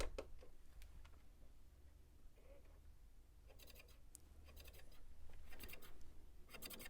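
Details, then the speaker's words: Cheap thrift-store DVD player at power-on: irregular harsh scraping bursts, a few per second, like knives, over a low hum; something inside scraping, cause unclear. "that had the worst sound right there it sounded like uh knives hold on see if we can hear it"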